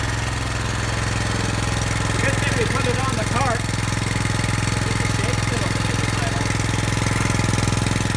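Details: Brand-new Subaru Robin SP-170 5.7HP engine, first start ever on a stand, 10W-30 oil, little throttle: crisp even single-cylinder putter at steady speed, no misses or knocks; healthy, warming up.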